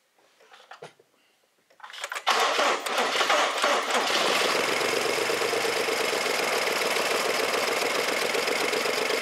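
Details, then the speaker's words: 2014 BMW 650i N63 V8 with failed/jumped cam timing and timing codes, possibly weak battery; brief crank then harsh uneven rough idle, raw fuel smell, no knocking or mechanical noise; rough running from jumped timing. "but like i said it runs runs real rough and no engine mechanical crazy sounds going on"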